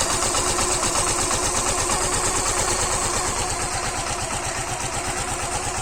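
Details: Suzuki Gixxer BS6 fuel-injected, after tappet timing adjustment for engine noise: even single-cylinder putter about 170 beats a minute, steady and smooth with no ticking; healthy idle.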